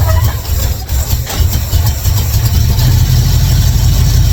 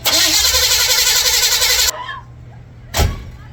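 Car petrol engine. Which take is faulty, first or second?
second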